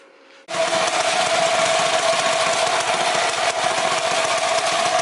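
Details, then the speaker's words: 212 Predator mini bike with a PWK-style carburetor, final result after going back and forth on the air mixture screw: it settles into a steady, consistent buzzy idle with no hunting or stalling. Normal idle. "you just got to go back and forth until it's like a consistent little Idol then give it throttle"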